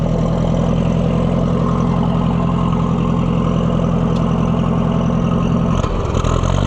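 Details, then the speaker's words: Oliver 550 loader tractor, long abandoned with a dirty carburetor, just started: loud uneven chugging idle with loping, irregular beat that stumbles; owner says it sounds better with the choke pulled out; rough running. "Sound like you are. Why are you sounding like that? Pull the choke out and it sounds better."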